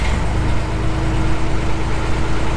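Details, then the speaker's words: John Deere 250 skid steer diesel after adding Ford starter solenoid for a clicking no-start, later traced to broken positive battery cable: deep, steady rumble with no misses or clicking; battery charging, normal running after start. "Worked that time. Battery's charging, it says on the gauge. Well, I think this might be fixed."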